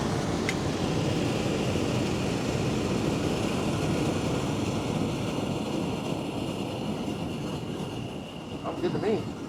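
Steady, even whoosh of fan and compressor with a faint constant high tone, no rattles or knocks; the unit is running normally.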